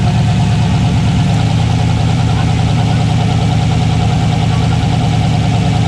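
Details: Fox-body Mustang with a turbo 6.0 LS swap: a deep, loud idle with a lumpy, uneven exhaust pulse, like one cylinder dropping out. Swapping coils and plug wires did not change it; coil power or signal wiring is suspected, unconfirmed.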